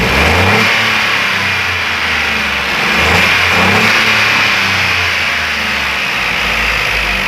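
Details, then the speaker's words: Ford Ka 3-cylinder engine after repair and timing work: smooth even run rising and falling cleanly through the revs with no knocks or ticks; normal running and revving. "Aí, ó, que motorzinho, parecendo um reloginho, galera, sem barulho nenhum,"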